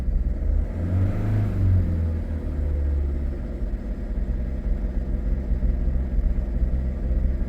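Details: Diesel engine cold-started with choke: a deep rumble that surges and wavers unevenly, then settles somewhat. It sounds like uneven compression or a misfire, with injector trouble suspected but not confirmed.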